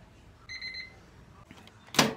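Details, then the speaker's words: Whirlpool microwave oven after replacing burnt 8A PCB fuse and HV diode, power restored, started without turntable tray: short high-pitched beep burst then click, error beep due to missing turntable tray. "So, kapag i-start natin to, mag-i-error to guys dahil nga walang tray."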